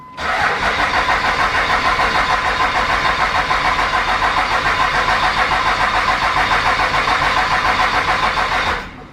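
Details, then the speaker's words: 3rd-gen Dodge Ram 2500 Cummins diesel, crank no start: the relief valve is not stuck, and with the CP3 regulator unplugged, rail pressure reaches only about 1,350–1,500 psi; even cranking about 3.5 pulses a second for nine seconds with no firing. Injectors are next to check. "over and you can see we're just over 1,500 lb there so we're not getting nowhere enough fuel pressure to be able to start this truck"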